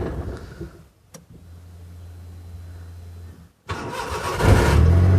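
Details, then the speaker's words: Maruti 800 after ECU repair, check engine light now working: quick crank, catches at once and settles into a smooth, even idle, then a light rev; starts and runs clean. "smoothly let me do it one more time it starts perfectly"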